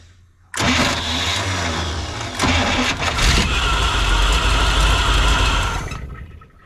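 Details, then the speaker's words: 1957 Chevy Sedan Delivery on a 4x4 truck frame, 454 big-block, fuel pump pulling from the tank: brief crank, catches straight away into a rough but steady idle, burning off spilled brake fluid; it runs. "it's burning off some brake fluid that I spilled but it's pulling fuel from the tank"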